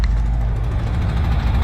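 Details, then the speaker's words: 1968 VW camper bus, air-cooled flat-tappet engine, 20W-50 oil, first runs after 10+ years sitting, battery charger connected: deep, steady, evenly firing idle rumble that improves with revs, no knocks or misses; normal idle. "actually it's starting to run a little bit better i got the battery charger on it so probably the extra voltage is helping it out there let's give it a couple more revs oh yeah that sounds good way way more gooder"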